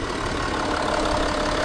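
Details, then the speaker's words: 2012 Audi Q7 diesel after removing and refitting an injector suspected of causing a hissing noise at idle: even diesel clatter at steady idle with no hiss; hissing fixed, normal idle. "problem fixed the hissing noise fixed and the engine sell healthy"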